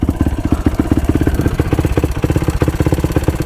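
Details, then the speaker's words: Used bike engine at steady idle with a light, quick tick on each firing pulse, about four per second. Piston, valves and timing chain were checked fine. The owner first suspected the clutch area and now suspects the Motorworks silencer. "It's running good. It does have that little tick to it though. I don't know what that is. Almost sounds like it's coming from the clutch area."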